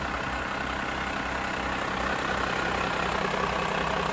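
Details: Truck (possibly the C50) idling after valve adjustment; thumping had been heard from it beforehand. An even, low idle that holds steady with no valvetrain tapping. Sounds healthy, normal idle.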